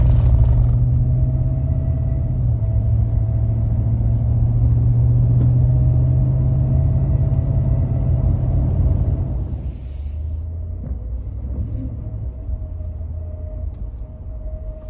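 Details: 2015 Ford F-150 engine: a thin, steady whistle holding one pitch above the engine's low rumble. Whistling squeal attributed to a bad water pump.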